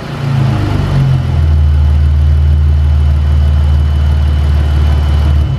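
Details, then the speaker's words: 2015 Chrysler 200 3.6L after an 80mm ported throttle body install (from stock 74mm), with cold air intake and modified catback, in the garage: climbs smoothly to a held rev with a deep, even note, no knocks; owner thinks more airflow; normal free revving. "So as you guys can see, I don't know if it's just me or the placebo effect, which it probably just is, and we're in the garage, but it sounded like there was way more airflow."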